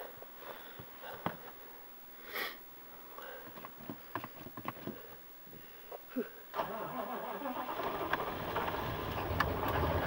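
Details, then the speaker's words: 1995 GMC 6.5L turbo diesel with a new used PMD, cold start after sitting a while: fuel pump primes, glow plugs cycle, clicks, then it catches after about six seconds into rough rising clatter, a couple of cylinders cold at first; normal cold start. "oh yeah you fired up oh yeah look at this look at that chooch on that one yeah a couple cylinders there a little cold steel"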